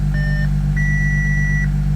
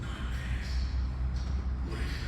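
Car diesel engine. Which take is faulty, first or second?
second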